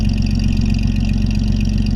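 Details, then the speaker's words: 1932 DeSoto SC Standard 6 coupe, inline flathead six, not driven for a long time, old gas, 45 psi oil pressure, temperature 160–170; smooth, even low idle with quick regular firing pulses, no knocks or misses: normal idle. "Horn works. We'll get out and let you hear it run here. We actually had it running too when we did the engine compartment, so."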